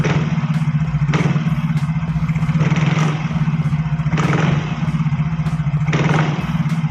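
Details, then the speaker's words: Yamaha Fino automatic scooter, smooth at idle but with judder: each throttle snap brings a rough clattering rattle from the CVT area; on teardown a pin inside had come loose. Worn CVT parts suspected. "nah selain ngedek timbul suara kasar pada saat e gas disentak atau saat diakselerasi timbul suara agak rekrek krek gitu untuk suaranya di area gvt tepatnya Kang Bro"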